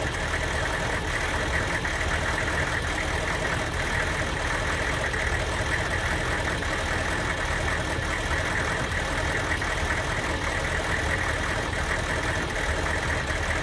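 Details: Van with diesel engine: uneven, lumpy idle with an irregular stumble under the clatter, a misfire from a bad Kojo aftermarket ECU tune; worse when hot, barely 45 mph; a stock junkyard computer fixed it.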